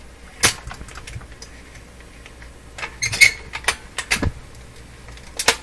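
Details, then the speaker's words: Telefunken Salzburg 5094W console record changer, underside not yet lubricated, cycling with the cartridge hanging: scattered clicks and clacks as arm and gears cycle, no grinding or stalling; normal cycling. "okay well it seems today operating quite well with the cartridge hanging there"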